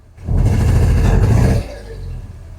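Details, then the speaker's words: "Bavarian" car abandoned for 5 years, just revived: the engine is blipped for about a second and drops back, lumpy and uneven like a lawn mower. The owner is pretty sure it is running on only two cylinders; cause unconfirmed. "Um I I'm pretty sure it's running on two cylinders."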